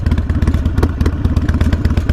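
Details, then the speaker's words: Harley-Davidson Sportster 48 V-twin at idle: a loose metallic clatter rides on each firing pulse. The rattle is confirmed as coming from the exhaust, not the engine. "oh yeah okay it's just the exhaust watch okay that makes me feel a little bit better okay that's just the exhaust"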